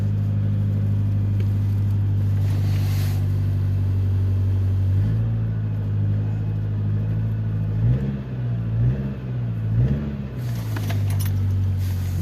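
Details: 2011 Nissan X-Trail, engine mount bolt snapped and another bolt on the same side missing: steady low engine drone that wavers and dips with revving, with a loose rumbling thump as the engine rocks on the broken mount.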